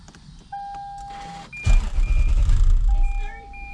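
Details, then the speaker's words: 2006 Lexus GS430 V8 after an accident and long sitting on old gas, following a popped fuse/relay: short quiet crank, catches at once and settles into a strong, steady idle; normal start. "we got it started baby it's on see if it stays on with his own power that's that old gas huh that's that old gas that's fine"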